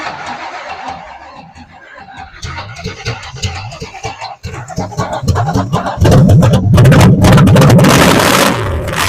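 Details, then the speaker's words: 80s Camaro drag car, 350 four-bolt-main V8 with a 350 Turbo transmission, previously locked up and smoking, no coolant yet: several seconds of uneven cranking chuff, then it catches and runs loud, lumpy but steady; starts and runs. "yep well we got it running let's see if we can put some water in here so we can fire it up run a little longer"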